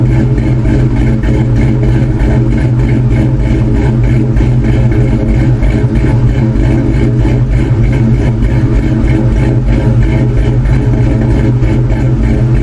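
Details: 2002 Ford Mustang GT V8 with freshly installed Howard's Rattler Street Cams, new plugs, coil packs and 24 lb injectors, not yet tuned: deep idle with a steady, rhythmic uneven lope typical of a bigger street cam; running normally.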